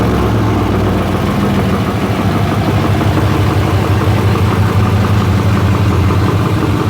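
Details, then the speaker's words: Mercedes C63 AMG 507 with a rebuilt M156 V8 at first start-up after reinstallation, old fuel treated, 119,000 on the odometer, before warming to temperature: a steady, smooth, low rumble with no knocks, ticks or misses. Normal idle. "she is looking good looking good sounding good we're going to let it get up to temp"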